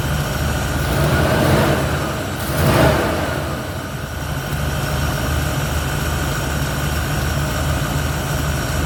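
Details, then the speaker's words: 1971 Ford Torino, rebuilt 302 V8 with C4, after slight carburetor idle mixture tweak (was a little lean): two quick clean blips settle straight back to steady, even idle, no miss or hesitation; fires right off, revs and idles clean. "It fires right off. It revs clean. It idles clean."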